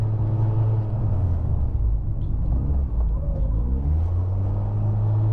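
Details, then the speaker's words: Highly modified 700 hp 2004 Mitsubishi Lancer Evo VIII with 84K miles, idling: low drone that climbs and sags every second or two, an idle surge. It is attributed to a bad idle air control valve and/or a vacuum leak. "Yeah, it's got a idle leak issue, which is not a good, or a vacuum leak."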